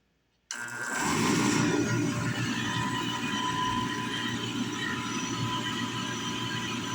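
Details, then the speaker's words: Valiant oil burner after service with the bleeder open: the burner motor spins up to a steady hum with a fast rough hiss and sputter as air purges from the pump. "Make sure we can open our bleeder because we're going to have a lot of air to bleed out of this thing unfortunately. Get that open right away. Up here, turn our switch on. Hear the air coming out already."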